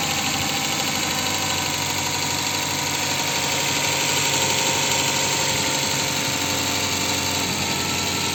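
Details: Ford engine: idle with a sharp, fairly regular tapping about four times a second over the running noise; engine knock of unknown origin.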